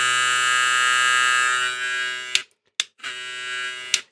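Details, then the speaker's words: Hair clipper with new Zircón blade: thin, steady buzzing hum cutting off and restarting in short bursts, pitched a bit higher than original; something moved, noise changes when the lever moves. "Nu e sunetul original pe care îl are. Ar trebui să fie așa. E puțin mai sus. Da, e puțin ridicat, dar nu știu dacă e maneta care s-a mișcat."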